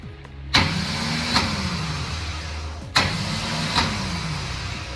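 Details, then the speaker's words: Project car with newly installed flexplate and torque converter: two short bursts of high whirring that spin up and coast down with no cranking; starter pinion doesn't reach the flywheel, an offset starter is needed. "doesn't reach the flywheel unfortunately"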